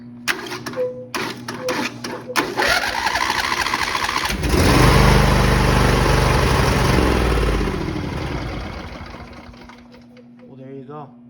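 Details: John Deere lawn tractor with a no-start, no-crank fault, after fitting a new 4400 relay: a few dry clicks, then the engine catches and settles into a steady, even run before winding down; starts and runs fine.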